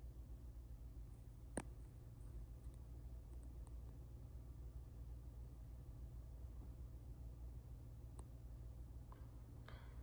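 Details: Chevrolet Trax Crossover, idling in D after the driver-side transmission mount was replaced under warranty: very quiet smooth hum, about 34–35 dB versus 37–38 dB before, vibration reduced; healthy idle.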